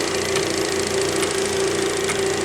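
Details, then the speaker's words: Superabrasives EX50 (Max Engineering) wheel dresser, lower spindle (bronze) at about 50%, a couple hundred RPM: steady drone with fast, even ticking from the floating collet holding the tool; normal collet clicking. "I think it's up pretty quick, a couple hundred RPM. You hear that clicking, that's that collet up in there."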